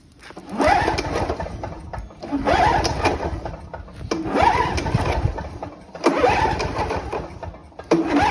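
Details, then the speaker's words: Sachs-Dolmar 2-cycle push mower with no primer or choke, running 50:1 mix: rough two-stroke bursts about every two seconds as it is pulled over, taking a few pulls before catching; normal starting, runs strong. "um so yeah that's how it runs it takes a few pulls one thing to note is it doesn't have a primer or a choke"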